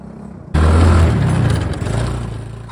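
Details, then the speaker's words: Mini Jeep 125 after fitting a new NIBBI racing carburetor to cure stalling, running without choke, engine not yet fully warm: deep, even exhaust note pulling steadily uphill off-road without stumbling; normal running under load. "moment so here we are going uphill engine still not prly or warmed up um it's it's a little bit Offroad as you can see it's over sticks and stones and um so far so good steep little null coming up here going up lots of power look great"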